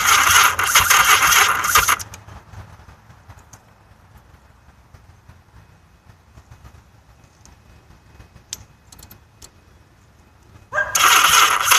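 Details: Yamaha XS1100 with a weak battery and an incorrectly installed octy: two fast, even starter bursts of about two seconds each; the engine spins over but never fires. It cranks with no start.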